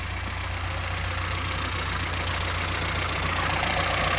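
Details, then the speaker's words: 998 Mini engine, after new carb and previous tuning, before distributor and coil swap: steady, even low idle with no misfire or uneven beat under background hiss; healthy idle. "As you can hear, that engine actually runs perfectly, and that's because a result of the new carb and the tuning we did last year."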